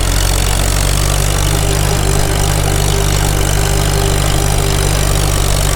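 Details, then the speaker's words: Farmall H tractor after sleeve repair, at operating temperature, full throttle in fifth gear climbing a hill: deep, steady, even pulling note with no knocks or misses; healthy engine under load. "Sounds good. Engine, I mean. We're up to temp. Make her work a little bit. Let's see how it likes fifth back up the hill."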